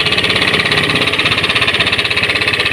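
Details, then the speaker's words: Honda Scoopy scooter engine idling with a harsh, rough sound, a fast steady knocking pulse and rattly top end; diagnosed as a worn crankshaft bearing, to be replaced. "Jadi menurut analisa kami di sini yang bermasalah guys, ada lahar panggung ya. Laharnya guys, lahar kruk as. Itu yang ingin kita ganti guys. Karena kita lihat sudah meraung sekali ya."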